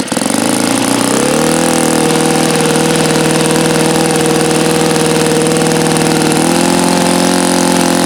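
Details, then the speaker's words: Saito FA-82a four-stroke model engine, very low time: high steady drone with pitch stepping up and sagging, not settling at top revs; unstable near peak RPM, so break-in running followed with full throttle, alternately richening and leaning. "As I started off in the beginning of the run, I was trying to peak it out and I could hear that it wasn't wanting to be stable and happy at near peak RPM."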